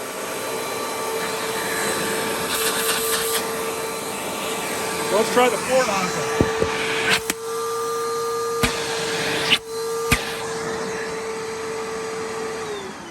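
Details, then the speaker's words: Simplicity/Riccar Symmetry or Vibrance vacuum, tube removed and hose connected straight to the floor nozzle; steady high motor whine with a clean airy rush, no choking or pitch rise; normal suction, no clog. "I've removed this tube connected it straight to the floor nozzle sounds good sounds like it's not clogged"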